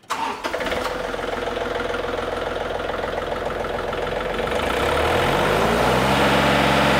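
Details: John Deere 3520 diesel tractor started after a new throttle cable was fitted, following heavy brush mulching: cranks, catches at once, settles into an even run, then rises smoothly with throttle; healthy start.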